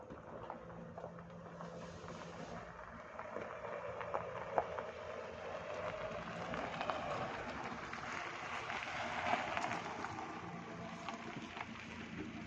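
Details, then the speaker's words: Fiat Stilo test drive after brake service: tyre and road rumble rising and falling through the stop with no squeal or grinding; brakes quiet after the repair. "जैसा कि आपने देखा मैंने अभी bread लगाइए कोई आवाज नहीं आई प्रेड में से"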